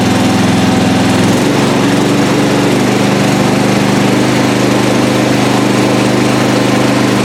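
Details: Lawn mower small single-cylinder engine running on a recovered weak 12 V lead-acid battery, steady even beat with no misses, knocks or rattles, holding speed; charging system reads about 13.5 V; normal running.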